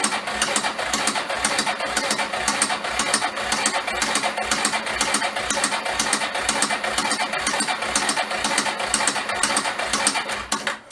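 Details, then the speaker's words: 1994 Yamaha Moto 4 350 ATV sold as a blown engine, running at low idle; rapid, even, bad clicking from the front of the engine; owner leans toward timing chain and doubts piston slap at low RPM. "Got some real bad clicking in the front. Could be anything from timing chain to piston slap, but low RPM, I severely doubt that."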